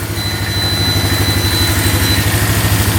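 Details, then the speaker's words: Polaris Magnum 325 4x4 ATV, running without choke after an ignition-switch power fault was traced: warm single-cylinder idle, smooth and even, a steady low putter with no knocks, misses or rattles over a beeping battery alarm; no leaks or smoke. "got the beeping battery which is annoying but engine sounds really good no [Music] knocking"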